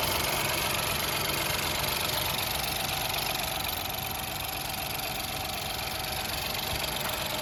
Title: Ford Fiesta 1L Ecoboost Engine Knocking Noise due to improper maintenance #fordfiesta